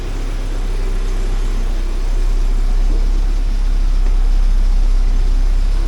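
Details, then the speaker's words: 1979 Porsche 924, started first try and warming up during overheating check: steady, even low idle with a smooth rumble, no misses, knocks or hunting; fuel pumps are a little noisy on these. "smooth fuel pumps are a little noisy on these [Music] things"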